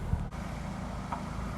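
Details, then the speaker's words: 2005–2006 Toyota Corolla XRS being fixed for a P0505 idle code, fully warmed up: steady, even low rumble with no dips or hunting, idling at about 900 rpm; normal warm idle. "warmed up it's actually idling really well right now so the car is idling a little bit below 1000 it's probably like a 900 rpm which i'm actually okay with"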